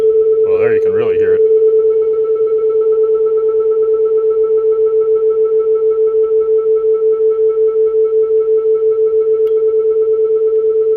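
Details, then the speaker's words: Client's 1965 Ampeg vacuum tube guitar amp after repair (new power-supply capacitors, bridge rectifier, tremolo and reverb units): loud, clean, steady 400 Hz/1 kHz test tone into the speaker enclosure, gently pulsing with tremolo, no buzz or crackle; working normally at high volume. "So the basics seem like they're working. Can drive it fairly loudly here."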